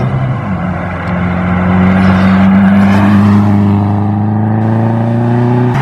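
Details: Subaru WRX after power-loss fix (stock coil packs back replacing Ignition Projects ones, regapped plugs, new MAF, DW300 pump, inline filter, Tomei manifold): revs climb steadily through gears under load without cutting out or stumbling; healthy acceleration, temperature fine.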